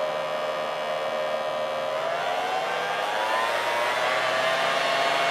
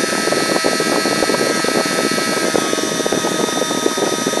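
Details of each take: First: 3D-printed mini turbine, scaled about 60%, tiny RC helicopter motor raised from 1.5 toward 3 volts: smooth even high whine climbing slowly in pitch as it spins up, no rattle; running normally. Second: 3D-printed mini turbine, tiny RC helicopter motor at 3 volts: high steady whine with rough buzzing rattle underneath; the printed turbine vibrating, sounds less bad when held.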